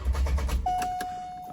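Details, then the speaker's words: C5 Corvette engine reinstalled after block welded where starter broke a piece off: brief steady low cranking, no grinding or clash, then starter whirs down; starter lined up correctly, no longer hitting the flywheel. "Hopefully I have the starter lined up correctly and hopefully it doesn't just smack into the flywheel."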